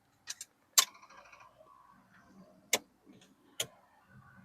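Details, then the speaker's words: C4 Corvette with its battery just reinstalled, reading above 12 volts: a few sharp isolated clicks with no cranking. The car is dead again, a no-start with the cause not yet found. "Dead in the water again. It's just dead again."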